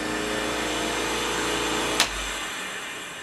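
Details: CHAD air compressor used for tracheostomy nebulizer humidity, switched on briefly as a demonstration: steady, even motor hum with a smooth buzz and no knocks or rattles, then a click as it switches off. Running normally.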